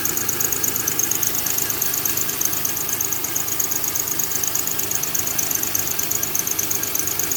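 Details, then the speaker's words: 2000 Honda Accord 3.0 V6 running: rapid chirpy squeak about three times a second at idle from a bad belt tensioner jumping; tensioner replacement needed. "so so if you get a a little squeaking noise right here this right here is the tensionometer and uh tensioner whatever you call it"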